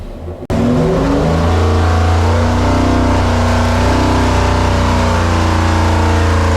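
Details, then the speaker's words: Rebuilt 1968 426 Hemi V8 on dyno, hydraulic roller cam, two Holley carburetors, pull to 5,000 rpm: 510 lb-ft at 4,300 rpm, 466 hp at 5,000 and climbing, oil pressure good; fires up then deep even roar, no knock; normal full load. "okay here we go oh wow we've got some good torque numbers we got 500 4300 RPMs we got 510 foot PBS of torque and a horsepower at 5,000 and it's at 466 it's still climbing"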